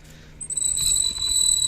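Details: Sharp, steady high metallic squeal from the right rear wheel over low rolling noise: a drum brake shoe rubs the drum because its retainer has broken; fixed by replacing the brake shoe retainer.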